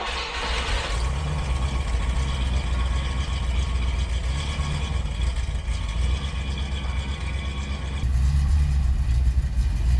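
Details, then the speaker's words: 1972 Rover 3500 P6, 3.5 litre aluminium V8 after sitting 6–10 years, first start, choke out, in park: deep even rumble at fast choke idle, no knocks or misses, a little smoke, lots of oil pressure, charging. "We have a V8. A little bit of smoke out the back. Let's look at that little baby purr."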